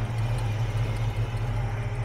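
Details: 1967 Chevrolet C10 stepside pickup V8, oil due for change: deep steady rumble with even beat, no knocks or misses; normal idle.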